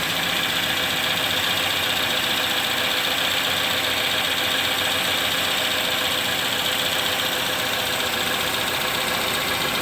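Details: 2011-2015 Chevy Cruze 1.8L after timing cover, gasket and water pump replacement for oil in coolant, burning off spilled oil: steady even idle with light quick valvetrain patter, no irregular knocks or misses; normal.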